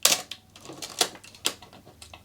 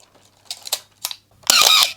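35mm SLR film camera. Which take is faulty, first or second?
second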